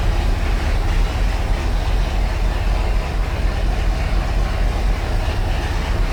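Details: 1976 Ski Nautique boat engine, Pertronix D231801 distributor, first start, not yet warm (90°, thermostat closed), oil pressure 50 psi, tach about 1000 rpm: deep loose rumble a bit fast and uneven; high idle, throttle held open as carb is off.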